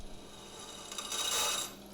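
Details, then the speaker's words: Drilling pin holes in a hard high-carbon Damascus full-tang hunting knife blank: thin, dry rasping scrape that swells and fades with no cutting bite, as the bit skids on steel too hard to cut. Drill bit rubbing without cutting. "Hear that? Yeah, that is the sound of a drill bit not cutting because the steel is hard."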